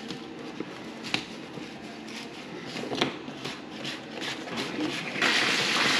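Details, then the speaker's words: Urinal flushing after blockage cleared by cable and trap refitted: water hisses and rushes steadily, draining away freely with no gurgling or backing up; drain clear, running away lovely. "so that was the orinal flushing I've just put the Trap back on so that's very good timing as you can see it's running away lovely"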